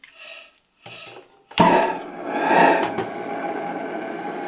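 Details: Live-steam model boat's single-diaphragm gas regulator after its worn diaphragm was replaced by a doubled new one; soft hissy bursts, then a rough fluttering, wavering gas roar as the diaphragm oscillates at regulation pressure before stabilizing; cause unexplained.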